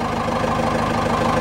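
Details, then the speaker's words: 4BT Cummins diesel with starting issues, previously had air in the fuel system: uneven chuffing idle with an inconsistent miss, possibly air in the fuel, not confirmed. "now you hear it it's you'll know what it misses I've seen it comments miss before it it's not consistent like this"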